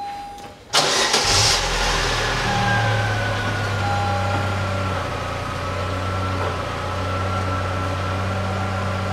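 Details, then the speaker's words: 2007 Chevrolet Lanos after replacing rear muffler (BOSAL 278875, GM gasket, new AMD hangers): engine starts and settles into smooth even idle, soft pleasant not noisy exhaust note, no rattles or blowing leaks. "звук приятных дабы губу нету и звук приятный в выпад другой он он не шумный"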